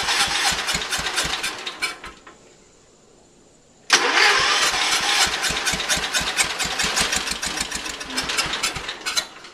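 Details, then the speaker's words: Early-1980s Ford LGT120 garden tractor, Kohler K301 12 hp single-cylinder, new piston fitted, weak battery: cranks, stops, cranks again, then catches and runs rough; starts hard warm or cold, owner suspects valves or weak coil signal/spark. "just wanted to show you how hard this thing starts here we go plus the bad the battery"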